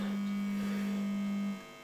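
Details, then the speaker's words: Rebuilt organ tube amplifier, hi-fi circuit: loud steady low hum at one fixed pitch, worse at higher voltage, cutting off cleanly at switch-off; mains hum, suspected from the filaments. "oh my god it hums a lot like i said it's most likely due to and it gets worse with higher voltage this sounds like filament more than anything"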